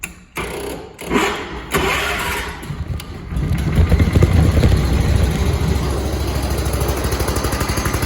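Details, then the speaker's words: 1985 John Deere 210 garden tractor, hard to start, needs new points, float possibly leaking: cranks a few times, catches, then uneven lumpy idle about two beats a second; runs rough, cause unclear. "as you can see it it doesn't run great but it does run and i need to do some more uh fixing up on it"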